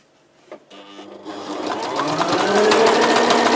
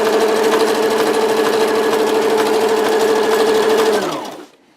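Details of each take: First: Sewing machine on wide zigzag speeding up into a sharp, regular knocking, three or four beats a second, as thread catches on a notch cut into the needle plate; no sound with the plate removed. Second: ну все супер ремонт окончен видите строчка отличная идеально ничего не стучит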